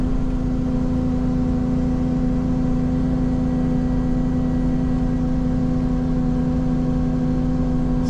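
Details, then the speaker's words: Ferrari 458 Spider: constant low droning moan over steady engine hum. Of four wireless mic channels, loudest on the engine mic down low behind, intakes quietest, accessory quiet; source not pinned down. "so right now what i'm hearing is it's loudest on the engine which was down low kind of behind you it's what it sounds like anyway"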